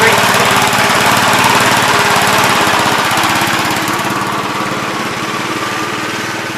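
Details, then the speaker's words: 1971 Gravely C walk-behind tractor, starting and dying without choke: rapid single-cylinder popping about three and a half per second that sags and fades when throttled up; owner suspects flooding, carburetor adjustment, or spark plug, leaning toward spark. Cause suspected, not confirmed. "if you throttle it up it dies almost sounds like it's flooded it could be a spark plug maybe"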